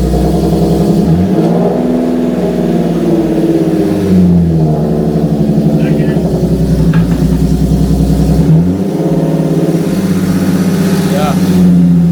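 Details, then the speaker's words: Nissan 370Z with VQ VHR engine after a used-transmission swap: repeated engine pulls with clean shifts every few seconds and no whine, grind or clunk between gears. All seven gears engage with no false neutrals; normal gear changes. "no dude it does all seven gears all seven gears no neutrals"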